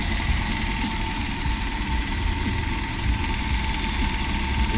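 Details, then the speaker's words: Maruti Suzuki Ertiga company-fitted CNG car idling with a slight misfire, an occasional uneven low thump, from a shorting ignition coil; the car also fails to switch over to CNG. Fix: upgraded spark plugs and coil. "लेकिन normal mixing कर रही है ऐसा ग रहा है आपको दिखे रहा होगा नॉर्मल मिक्सिंग ग रहा है"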